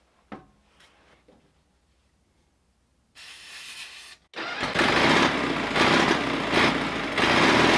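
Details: Gasoline pony motor of a 1950s Caterpillar 955 Traxcavator after turning the fuel on: catches after a quiet spell, then runs loud and ragged with uneven, sputtering firing; carburetor removal planned next.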